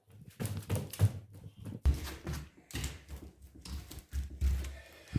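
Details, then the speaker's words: Wooden plank floor on joists under plywood, after driving wedges under the joist: dull footstep thumps with no creak or squeak between steps; floor now solid and quiet. "не скрипит вот и все вот и все чудеса случаются чудеса случаются все получилось ребятки"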